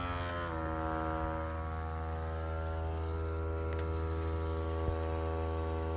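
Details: 2012 Volvo S60 just after engine stop: a steady low electric buzz with even overtones keeps droning at constant pitch with the engine off; owner unsure if normal, cause unclear.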